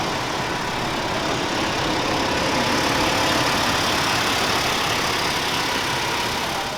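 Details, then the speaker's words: 1982 Ford Mustang GL, sat from 1990, revived, fairly cold and little run in a month: even, steady idle with soft quick patter, no knocks or misses, "like a little sewing machine"; engine runs beautifully. "pretty cool huh it's such a sweetheart it's like a little sewing machine it's honestly pretty cool like once we got it running the thing just idled and ran beautifully"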